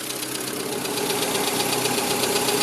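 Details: VW Gol after water pump and tensioner work: a fast, light, evenly spaced tick from the top of the engine at idle follows engine speed. It is typical until warm, when the oil fills the worn hydraulic lifters.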